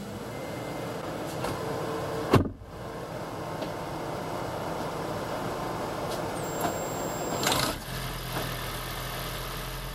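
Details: 2016 (4th-gen) Prius engine just swapped into a 2012 Prius V, first start in maintenance mode, car on jack stands, coolant air still to bleed; catches after brief crank, settles to steady even idle, no knocks or misses.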